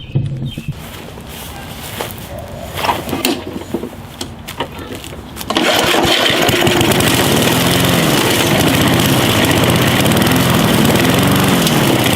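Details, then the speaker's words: Walk-behind gas lawn mower that wouldn't start from untreated stored gas: after fumbling it catches and surges up and down while hand-choked, drawing fuel through and clearing clogged carburetor orifices. "it's drawing gas out of the gas tank because it's cleaning out the orifices that are in there"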